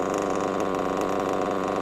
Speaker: A lovely Reds WR7 Diamond Edition engine running an absolute treat inside a Mugen MBX6T whatever it's called.